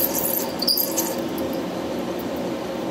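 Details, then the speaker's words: CNC HSD spindle electric cooling fan, mounted on top of the spindle: a steady hum with faint, irregular high squeaks and chirps as the fan struggles, then stops; lubrication failed, fan replaced. "don't know if you can hear it tweaking squeaking see it stopped again"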